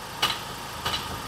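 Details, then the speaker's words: Ford Ranger off-road truck engaged in 4WD (noise also present in 2WD): sharp clunks about every two-thirds of a second over a low drone, coming from underneath. Differential in bad condition; needs removal and inspection. "şu an 4 çekerde yim taktım ve bak bak bak bak duyuyor musun duyuyorsunuz değil mi takır tukur takır tukur sesler geliyor"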